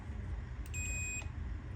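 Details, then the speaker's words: Multimeter on continuity (beep) scale, probes touched together while diagnosing a refrigerator that stopped cooling: clean steady high beep of about half a second, meter working properly before testing the relay. "Pronto, coloquei aqui, ele bipou. Se ele bipou, ele tá bom, tá?"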